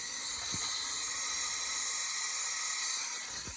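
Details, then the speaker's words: Toyota 20R leak-down test, engine not running: steady high airy hiss of air escaping past the piston rings, which are not seated, plus an exhaust valve leak. "nothing on the exhaust side so the uh the intake side so the exhaust side is leaking and you can hear the rings"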